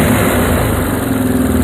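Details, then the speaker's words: Moto 4 ATV being restored, carburetor mixture screw turned out a half turn: loud, even, steady single-cylinder idle with no misses or stumbles; the mixture is set well. "So that's a half turn. That's pretty prime, actually. It's pretty good."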